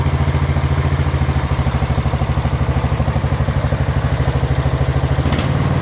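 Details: Craftsman LT1000 riding mower single-cylinder engine on a rebuilt replacement carb after repairs to starter, deck and sump gasket; steady even thump about three beats a second, no misses or surging: normal running.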